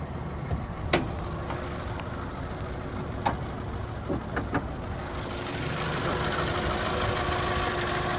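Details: 1997 Honda CR-V, about 33,000 original miles, freshly serviced with new timing belt, water pump, belts and fluids, hood closed: quiet steady low idle with no knock or tick under a few handling clicks; healthy, even. Normal idle.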